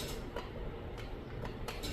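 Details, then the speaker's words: Chamberlain LiftMaster Pro 1/3 hp garage door opener with trolley jammed in closed position, chain sagging: only light solenoid-like clicks over a faint hum, motor not running; owner thinks the opener is fine and the binding trolley is the cause. "I can just hear a little little click like a solenoid click if you will yeah so again I don't think anything's wrong at this end"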